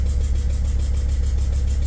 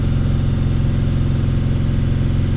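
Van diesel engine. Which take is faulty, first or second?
first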